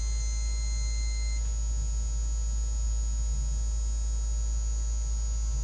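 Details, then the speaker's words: Microwave oven run on a Heart Interface Freedom Combi (Xantrex Freedom 458) inverter with failed electronic snubber, voltage spiking to 132: loud steady low buzz with faint high whine; mains-frequency buzzing from voltage spikes, can damage electronics and inverter. "microwave did not like it you could you could hear the microwave making kind of a loud buzzing noise so it can really can damage your electronics"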